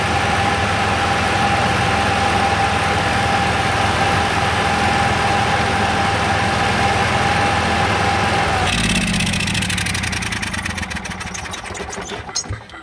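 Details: Onan QG 5.5 air-cooled RV generator, cover off, test run after clearing an induced governor fault code; steady even drone with constant whine, speed held firm, then smooth rundown; normal running, code cleared.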